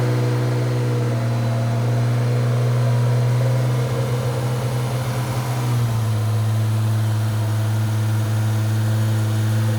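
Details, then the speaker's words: 2JZ straight-six swapped into a Hellcat, first run after the starter-wire fix, on pump gas: steady, smooth drone that shifts pitch evenly with revs, no knocks or ticks; oil pressure very high, normal healthy idle and revving. "I don't feel like it sounds like a 2J back here. Can we cut the boards off? No, it sounds great. Quiet right now."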